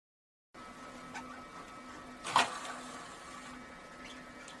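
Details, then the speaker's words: Xbox 360 disc drive after disassembly, cleaning hardened grease from the tray gears and relubricating: tray ejects normally with a quiet, brief motor whir and a single soft clack as it slides out smoothly, then closes; laser starts afterwards. "Giá đỡ xuất hiện mà không gặp vấn đề gì và chúng tôi đóng nó lại"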